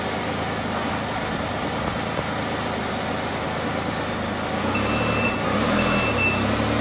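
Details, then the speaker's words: 2018 Can-Am RT Spyder in gear, backing out of the garage after the parking brake was manually released by backing off the cable. Faint, quick high beeps repeat over the engine rumble: the parking brake warning keeps sounding, then stops. The light went off after about 150 ft. "notice that beeper's still beeping? Okay, the beeper stopped."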